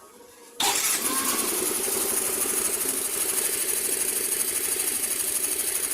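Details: Scooter after CVT dragging/vibration fix (stuck flyball reseated): engine starts and settles into a steady, even idle with no shudder or uneven beat; normal idle.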